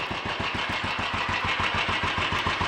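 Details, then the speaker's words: Royal Enfield 500 single after full engine rebuild (new mains, forged steel conrod with roller big end, forged piston, alloy barrel) and minor adjustments: even steady thump about six beats per second, no stumbles or hunting; clean, healthy tickover. "that seems to be running well enough sounds happy enough we life and it's ticking over nice and steady starting easily"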